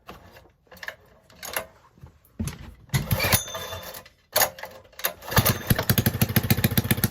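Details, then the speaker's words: Rebuilt Honda 5.5 hp engine, sat outdoors about three years, new carburetor, coil and plug, bent pushrods: choked start with coughing bursts, then an uneven, lumpy putter around four beats a second; still rough with choke off. "on so when you turn the choke off it still is rough but it was idle"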